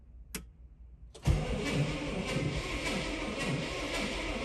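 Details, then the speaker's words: Old car being revived, first crank in neutral on a well-charged battery: after a click the starter turns over slowly with an uneven, galloping beat, suggesting some cylinders have low compression, possibly from piston rings. "but uh that didn't sound too bad it galloped a little bit which would indicate um that some of the Pis"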